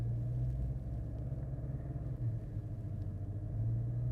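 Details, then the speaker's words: 2008 Mercedes SL550, warm after about 10 minutes of driving, power-braked near 2000 rpm: small grinding growl with vibration through the steering wheel, louder as it heats, fine when cold; worn power steering pump damper, fluid level okay. "It's just starting to grind and it sends this vibration through the steering wheel. You can hear it. It's a small grind, but it gets kind of annoying."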